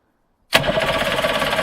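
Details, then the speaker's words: Circa-1985 Suzuki 85 hp two-stroke outboard, unrun for six years, premix fed through the carbs: starter cranks with quick even chatter but never fires; fuel starvation, started once fuel was put directly in the cylinders. "It seems to be filling those carbs up, so we'll just flush all the old fuel through. No go."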